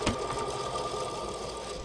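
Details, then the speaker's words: Pontiac Sunfire alternator, belt off and engine stopped, spun by hand: a rough, gritty growl over a steady hum means the alternator's rear bearing is worn. "that growl is the back bearing out of this particular alternator if you hear a growling noise you're going to want to you know fix it before it fixes you on the side of the road"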